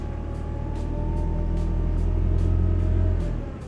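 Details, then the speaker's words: Honda Odyssey RB1 with over 386,000 km: steady power steering pump whine with the engine, worse at full steering lock, may decrease as it warms up; fluid level looks okay, possibly air drawn in at lower hose joint. "The Whining is present with the engine noise whining May decrease as the car warms up"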